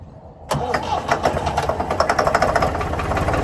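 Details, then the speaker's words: Previously seized Ford 4000 diesel tractor on starting fluid: it catches and runs rough with a steady loud knock over uneven firing and won't keep running. Owner blames throttle and air, isn't worried about the knock yet, and suspects a diesel leak. "And I think I might have another problem. So, I'm not hugely worried about the knocky knocky noise yet."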